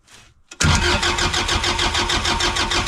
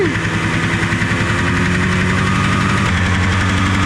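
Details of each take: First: Engine cranked by jumping the solenoid: starter spins it strongly at about three even pulses a second, no firing; switch circuit isn't telling the solenoid to turn on. Cause suspected, not confirmed. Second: Derelict Arctic Cat two-stroke fired first pull with only the carb on and no fuel lines hooked up: buzzy fast idle, revs wandering slightly but firing steadily every stroke; surprisingly still running.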